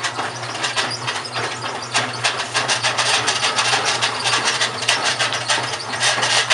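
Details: GE washing machine, model WHDSR315DWW, bought 9/30/06, running: harsh uneven scraping and grinding bursts, about three a second, over a low steady motor hum; grinding in the washer drive, owner suspects the transmission is failing, unconfirmed.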